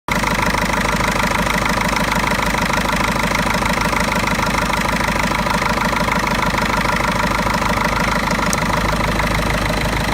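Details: Mercedes OM646 diesel, cold idle: uneven, shaking, loping beat from a faulty EGR valve, rough only until coolant reaches 60 °C.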